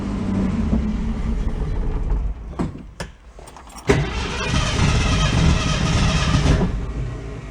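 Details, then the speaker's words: 1966 Ford Mustang restored in the 1980s, stored since 2006, first put in gear while still chained up; engine load sags and recovers unevenly, owner says torque converter going in and out; starting to smoke, accelerator pump leaking. "Torque converter is kind of going in and out. If you can hear it."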